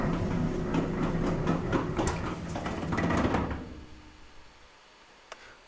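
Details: Older Maytag dryer making noise and drying poorly: rapid rhythmic scraping thumps about three a second that trail off as it spins down after the door opens; damaged blower wheel.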